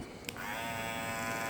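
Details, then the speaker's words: Brand-new Andis Master cordless clipper straight out of the box, before any lid fix: steady, even high buzz with no rattle. Fairly quiet normal running. "they're pretty quiet they're not bad but this one is new so here I figured out how to make them quieter"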